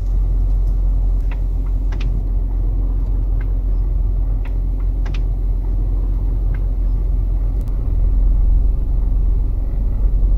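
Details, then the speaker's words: Vehicle turning at about 1 mph: low, uneven juddering rumble from the rear, limited slip differential clutch pack repeatedly locking and unlocking, chattering. "you could hear that vibration happening whenever i was making a very very slow turn to the right or to the left there"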